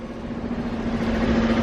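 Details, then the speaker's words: 2015 Fiat 500L, a non-runner bought at auction, running on a cold morning after new spark plugs replaced flooded old ones; lumpy uneven idle with dropped pulses and puffing, missing, flashing check engine light; misfire at idle. "that is going to be normal because as we said the previous plugs were flooded how no idea clearly it's not happy uh yeah it's it's missing but i will let it run at least for a few minutes yeah that puffing is no good"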